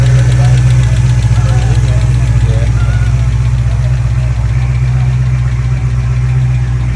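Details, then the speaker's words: Driftcat car's engine at idle after it was hurt at SEMA and was pulling power: a fast, regular ticking of about four per second over a deep idle; a lifter tick is strongly suspected. "Not good. Almost positive it's a lifter tick, and that's another reason why you guys didn't see more driving footage of me at SEMA, was because I hurt the motor."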